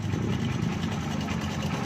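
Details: Honda CB 125 motorcycle at idle, asking why it is noisy; busy, clattery idle with rough low drone and extra mechanical chatter over the exhaust; engine noisy, cause undetermined.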